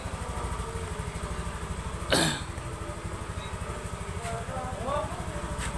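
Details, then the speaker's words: Honda Beat FI scooter after a bore-up and tune-up, with a prior hesitation (brebet) problem: steady, even putter at idle with one brief loud rasp, otherwise no stumble or misfire; normal idle. "Nah ini sekarang mesin Alhamdulillah sudah aman ini sekarang keadaan oke Ada and running"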